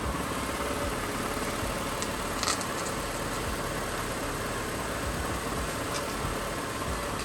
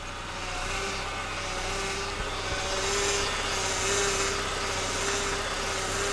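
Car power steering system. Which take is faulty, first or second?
second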